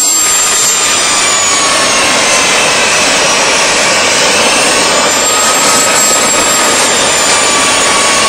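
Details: DIY gas jet turbine go-kart built around a turbocharger, diesel-fuelled afterburner, idle about 22000 rpm: steady even roar with thin high whistle, continuous noise without internal-combustion throb; normal healthy running.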